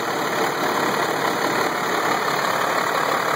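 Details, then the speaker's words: 1996 Ford Thomas activity bus, 5.9L Cummins diesel, cold start at about 70s°F: fires right up into a steady, smooth, even idle, with fan and belt whirring cleanly; a little blue smoke, engine sounds healthy. "Oh, it sounds good. Running smooth. Fan's working good. Belt's working good."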